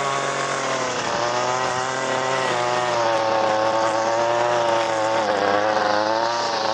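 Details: Echo SRM 225 two-stroke trimmer with cheap aftermarket carburetor, no adjustments: steady high-speed buzz with clean, even pitch and no surging or misfire.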